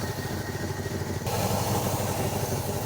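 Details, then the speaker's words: 1977 Pontiac Can Am V8 at first start after years of sitting, settling into a low, even, smooth idle with a steady burble and no misses or knocks; timing not yet set, possible exhaust leak. "We haven't even set the timing yet. And it's idling so so smooth."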